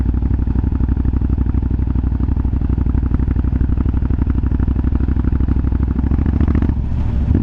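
Big twin loping along with sharp irregular pops and crackles riding on each exhaust pulse, typical exhaust popping, cause unknown.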